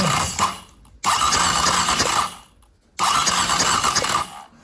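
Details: KTM 250 SX-F after fitting a bearing, testing for spark: two short even cranking bursts, no knocks or grinding, no catch yet; spark confirmed, normal cranking.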